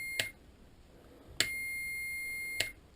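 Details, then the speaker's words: Multimeter continuity test on a single-pole single-throw toggle switch for headlight wiring on a 1995 Harley-Davidson Sportster XL1200: clicks, then a steady high beep as the switch is flipped up, showing the contacts bridged and closed. "If we flip it up, we get continuity. You can hear it by the audible sound of my multimeter that, you know, the contacts are now bridged."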